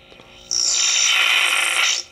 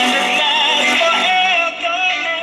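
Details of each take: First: 1960s Hi Tone Japanese tube radio, powered up after fixing a faulty power cord: sudden shrill, steady high squeal about a second and a half when volume is turned up; feedback, owner suspects leaking old capacitors. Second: Small 1960s Japanese "Hi Tone" five-tube AA5 radio after a new on/off volume switch was fitted: clear music and singing at steady volume with no hum, crackle or dropouts. Working properly.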